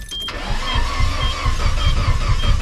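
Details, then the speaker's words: 1997 GMC half-ton, 5.7 V8, automatic: starter cranks with an uneven, light chug and the engine never catches. Timing chain jumped time, still connected; compression about 30 psi at best. "She jumped time, y'all. That's right. She jumped time. She has no compression."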